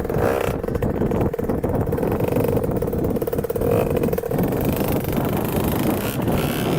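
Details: 2000 Cobra 50cc racing mini two-stroke dirt bike on a road flyby test ride after top-end teardown, carb cleaning and new throttle cable: crisp buzzy note pulling hard, holding steady revs, clean and even with no misfire; engine healthy.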